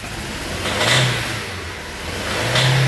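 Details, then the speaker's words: VW Gol G5, arrived with a gusting engine noise: two rev blips with a rough, uneven note, exhaust misfiring and irregular running; cause not yet pinned down. Irregular running when revved. "percebe o funcionamento do carro ele está irregular vamos ver o barulho do motor faz"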